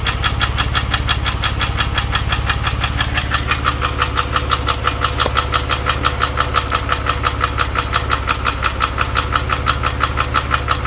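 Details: Porsche 997, engine warm, held at 2000 rpm: sharp, very regular mechanical ticking, roughly three per second, riding steadily over the engine speed; origin unknown, owner asking for ideas.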